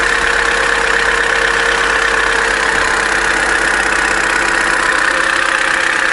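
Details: Opel Corsa D A14XER 1.4, 65,000 km, cold start while warming up: steady idle with a fast light metallic rattle about four a second; codes P0011/P0014, suspected stretched timing chain or tensioner, possible low oil pressure; timing chain rattle.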